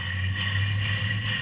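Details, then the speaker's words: Replacement fan motor for a Goldstar window air conditioner, old motor had bad bearings: new motor spins with smooth, even low hum and steady whir, no grinding or rattle, bearings good; normal running. "here's the motor I'm putting in it I'll try to show you here the spinning you hear that not loose burns are both good"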